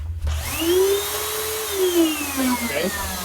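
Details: Hoover UH70935 upright vacuum after nozzle base replacement, run in the upright position with brushroll disengaged: motor spins up to a smooth, steady whine with no brush slapping or belt knocking; normal running.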